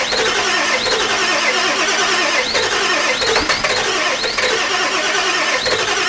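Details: Ford E350 4x4 van, 7.3 liter diesel, cold first start attempt, one glow plug burnt off. Steady cranking around 80 strokes a minute with a high squeal on top, never catching; extended crank, no start; owner suspects too little glow plug time.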